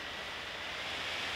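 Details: Gigabyte P34G 14-inch laptop rendering video: loud, hissy rush of air climbing slightly and holding with no clear tone; fan running hard under heavy load, core temperature reaching 96–97°C.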